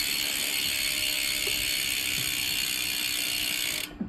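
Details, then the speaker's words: Dolan DR1 road bike, new, Shimano 105 drivetrain, 12 mm through axles: rear hub freewheeling gives a crisp, fast, even buzz of pawl clicks fading as the wheel stops; healthy, well-engaged freehub ratchet clicking. "i'll show you through the hub while i'm here it sounds mint listen to that"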